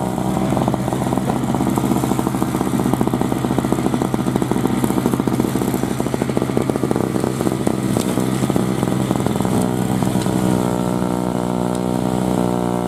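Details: 2003 Murray single-stage two-stroke snowblower, unrun 5 years, started first pull after priming; busy buzz holding even revs while clearing snow under load, no stumbling or misses; normal healthy running.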